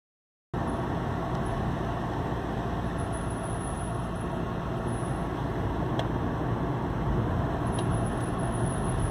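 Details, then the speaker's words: Hyundai ix20 front brake spinning: faint intermittent high squeaks over a steady rumble, caused by a warped disc and rusty pads stuck in the caliper that cannot retract; fixed by cleaning and greasing the pads. "Toto pískanie je zapríčinené zvlnenými kotúčmi a prihrdzavenými platničkami, ktoré sa nemôžu voľne hýbať"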